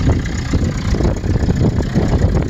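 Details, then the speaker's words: 1988 Toyota pickup 22RE, first drive in five years, new radiator fitted, rolling slowly out of reverse: deep, raspy, uneven rumble with choppy pulses; no muffler, straight off the catalytic converter after muffler rusted out; unsure all four cylinders firing. "she sure is loud but there's no muffler at all straight off the back of the catalytic converter because the muffler was all the way rusted out"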